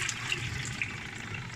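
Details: Sharp twin-tub washing machine after clearing a drain clogged by rag lint: steady rushing water with a light hiss and no gurgling or choking. Normal, free drain flow.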